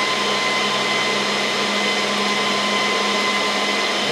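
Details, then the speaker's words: Dell PowerEdge R730 server during Windows Server 2022 build: loud, steady rushing roar with high tones, fans seemingly at full 100% with no front-panel warnings; fan speed is set in iDRAC under settings/fans/setup. "now this server is pretty loud so i wonder if there's a way i can do power management to lower the fans down um yeah it feels like it's in full blast full 100 mode even though i don't have any warnings on the front here"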